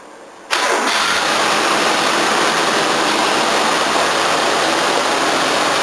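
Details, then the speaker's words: 1981 Toyota Corona RT132R, 18R-C, after tappet adjustment to a generous valve clearance: catches at once into a quick, even idle with a light water pump whirr; it no longer stalls or shakes, though the timing chain is still expected to sound unhappy. "Running so much better, a lot faster too. Still all I can hear is water pump. Much nicer."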